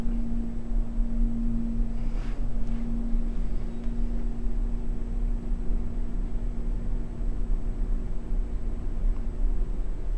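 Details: Old, worn, modernized Westinghouse hydraulic elevator with a submersible pump motor, Kratt Hall, Central Piedmont Community College: steady low pump hum with a faint tone and uneven roughness as the car travels up. It sounds rough but rides better than it sounds.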